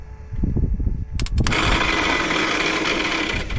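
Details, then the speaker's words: Caterpillar D8H bulldozer sat 15+ years, after freeing stuck governor rack: uneven cranking thumps then sudden harsh steady grinding whine; owner thinks starter drive teeth are gone, starter judged not savable. "all buggered up I think the teeth that were there are gone"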